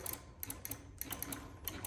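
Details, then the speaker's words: Honda Ruckus scooter on a dead battery: rapid solenoid clicking with no crank when the start button is pressed. Could also be a loose connection. The battery had been charged the week before. "That's a dead battery. So you can get in here, or it's a loose connection. You can get in here and check your connections, or it could be a dead battery."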